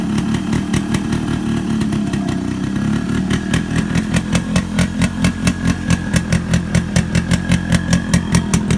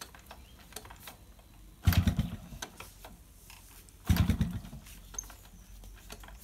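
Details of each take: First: Yamaha RX100 two-stroke motorcycle, cold morning start after heavy rain and hard kicking, spark plug troubled with no spare: crisp popping picks up into an even, quickening beat as throttle opens; engine fires cleanly and runs steadily, normal running. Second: Yamaha RX100 two-stroke, morning cold kick start after heavy rain: two kick strokes about two seconds apart each give a short rough churn that dies without catching; hard starting, spark plug suspected.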